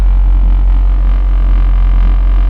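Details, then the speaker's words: 2009 Honda Fit GE8 five-speed, modded, at idle: deep steady droning vibration in the cabin passed through solid engine mounts. "It has Can you hear that vibration? Solid engine mounts. Oh my god."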